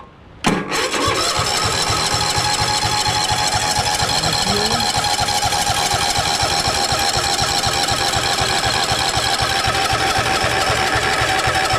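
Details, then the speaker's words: 2021 Toro TimeCutter zero-turn, used, after a new filter, air filter and fresh fuel, on choke: the starter grinds at a steady four beats a second for over ten seconds without catching; the fuel line is only just filling. Cranking no-start. "okay fuel's coming in just now we can see that the fuel right there is just starting to fill up that was empty and it didn't start"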